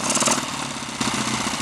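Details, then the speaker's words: Lightly customized Triumph T140 Bonneville twin just started for the first time, cold, idle uneven and slightly hunting with a stumble; owner hopes it settles once warm, carburettor adjustment still to be done. "what I need to do next is just concentrate on making it that little bit happier with life possibly run it for a bit longer see if it warms up and settles down"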